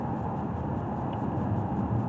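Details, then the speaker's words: 2017 Nissan Rogue test drive after replacing front brakes and driver's-side front rotor plus rear brakes: steady low road rumble, no grinding, rubbing or squeal, no pedal or steering vibration. "But so far, it's pretty smooth pedal. I don't hear the grinding that I did when I first brought it in, which was that driver's side front rotor."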